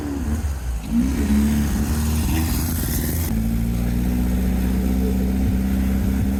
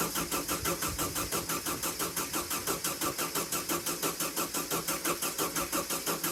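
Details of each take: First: VW sandrail dune buggy, air-cooled flat-four: revs up, then settles into an even, steady run with all four cylinders now firing cleanly. Normal running. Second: VW sandrail dune buggy, unused for 18 months: the engine cranks steadily with no firing because no fuel is pumping through. The owner cracks the fuel pump inlet and adds WD-40 before retrying. Cranks but won't start, no fuel delivery.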